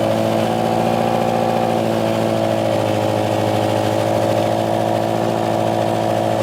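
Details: Subaru STI (about 400 hp, E85) running after its dead fuel pump was replaced with a new Walbro 450; steady, smooth drone at constant speed with no stumbling or cutting out, seemingly running fine on the new pump.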